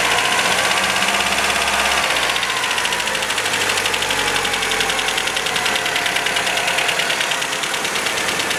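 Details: 1977 MGB first start after many years off the road: uneven, lumpy running with busy metallic tappet clatter; ignition timing massively over-advanced, so it stumbles and rattles; tappets need adjusting; oil pressure about 60 psi.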